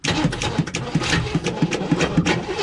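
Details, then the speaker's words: 1958 Chevy Biscayne, revived after years of neglect: steady starter cranking at about three compression beats a second but never catches; no spark while the key is held, only on release. Voltages checked at porcelain resistor. "hopefully we can figure out why this thing will not give it spark until you let off of the key that's weird"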